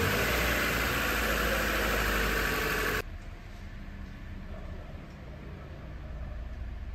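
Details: Toyota Corolla 2ZR-FE 1.8L engine, freshly rebuilt and installed, after the rebuild: an even, steady idle hum for about three seconds, then a clean shutoff, with no knocks or misses; normal idle.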